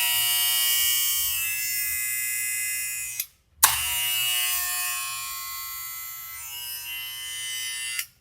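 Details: Barber clipper with magnetic motor after maintenance and blade alignment: loud, steady high buzz that stops briefly and restarts at same pitch; these clippers are naturally noisy, running normally.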